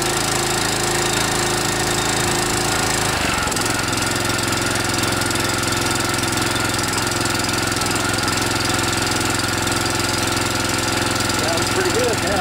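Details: DR TR1 walk-behind trimmer with a Kawasaki FC150V 6.75 hp engine, first run after carburetor cleaning of a plugged main jet, not yet warmed up. Runs steady at a fast, even beat with no stumbling or misfire; healthy.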